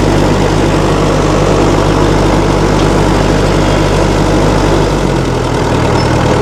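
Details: 1960 Massey Ferguson FE35 tractor, 4-cylinder diesel, running after sitting unused in a paddock for a long time: steady low diesel clatter at an even idle with no misses or knocks, running smoothly.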